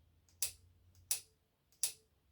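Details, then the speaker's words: Silver Reed/Singer/Studio knitting machine stitch-selection troubleshooting: selection flippers at the zero-to-L positions popping freely with crisp, evenly spaced clicks that should sound alike and equally quick on both sides; normal. "and you hear the sound it should be the same on both of them it's like tuning your guitar this one should sound just like this one and it should be about the same rapidity"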